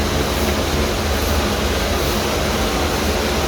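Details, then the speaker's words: Sand-filter pool pump on the rinse setting: a steady drone with a rough, gravelly hiss as it cavitates, sucking in air because the water level went too low. It may need repriming. "Because you see, when it goes to a certain point and it gets low, Dad calls that cavitating, like sucking in air."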